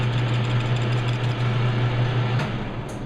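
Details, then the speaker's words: Truing the front roller of a Harbor Freight 4x36 belt sander on a lathe, roughly halfway across with increased feed: steady hum with an uneven cut pulsing about three times a second, the tool dancing on the out-of-round roller. Intermittent cutting. "Yeah, this thing is just dancing all over the place."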